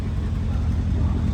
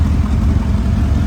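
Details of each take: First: Mercedes CLS63 AMG V8 after engine rebuild, first start with engine light still on: deep, steady idle, even low rumble, no stumble or miss, settling as it warms; normal idle (coolant leak found at rear flange afterward). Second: Mercedes CLS63 AMG V8 bought as a non-runner, final start after a four-month engine rebuild, fuel very low, engine management light on. Deep idle with a slightly uneven, stumbling low thump. Cylinder one misfire.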